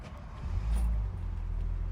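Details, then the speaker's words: 1969 Mercedes-Benz 280SE W111 coupe, 2.8 L straight-six, automatic, cold start with key on and one pedal pump: starter turns briefly, then it catches cleanly and settles into a low, steady rumble; healthy cold start. "Do a little cold start here, key on, we'll give it one pump. Crank it up."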